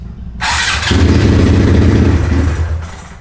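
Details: Honda Grom, first start right after installing a Kitaco clutch cover, ECB racing clutch kit and new oil pump, with fresh oil: brief cranking, then an uneven, lumpy run under two seconds before fading; reluctant to start.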